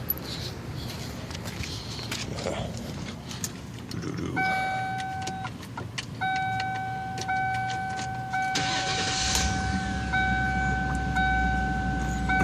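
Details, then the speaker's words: Lincoln Town Car or Ford Crown Victoria 4.6 V8 with a junkyard replacement PCM fitted for a bad PCM; chimes, then it catches near eight seconds and settles into a steady, even idle with no misses; normal idle after repair. "there it is. She's running good, man."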